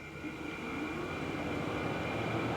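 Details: 2013 Tesla Model S P85 climate control switched on remotely from phone after blower resistor and DC/DC converter replacement: soft rushing airflow builds smoothly within a second, even steady tone, no rattle or whine; healthy blower.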